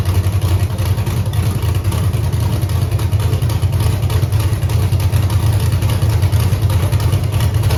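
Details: 5.3 LS V8 in a Camaro on Holley EFI: steady low idle with an uneven loping beat about three per second, one cylinder weak. Unplugging cylinder eight's coil changes nothing and water on the header sizzles, so a persistent misfire is suspected, cause unconfirmed.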